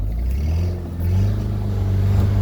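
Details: 2008 Pontiac Solstice GXP pulling under throttle through first to third gear: a deep drone with a faint grainy rattle that appears after a cold start and fades once warmed to about 194–205°F; no check engine light, cause unknown.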